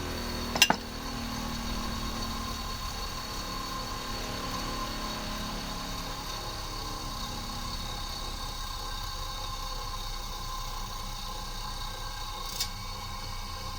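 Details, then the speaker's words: Wisoda E6 split-phase induction motor coasting down after switch-off: hum fades evenly, soft click near the end as centrifugal switch drops the start winding back in; normal. "It's a split phase motor. Has a centrifugal winding in it. It'll start and run, and you'll hear it click off."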